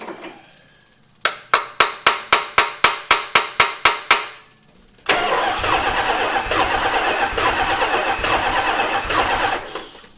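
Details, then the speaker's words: 1977 Dodge Monaco 360 V8, sitting since 1989, cranking at about four compressions a second while fuel is pushed through the pump. It never catches, then hisses; no fuel in the carburetor, and a stuck float is suspected. "Why is there not fuel in the carbonator?"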